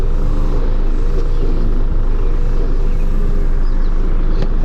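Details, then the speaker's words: 1998 Mazda Protege 1.5L, sat almost 15 years, previously high idle and surge with emissions monitors not setting, after cleaning and adjustment: low, even idle near 775 rpm versus 781 desired, no hunting or surging. "it's definitely idling a lot lower in a lot so I'm gonna let this warm up"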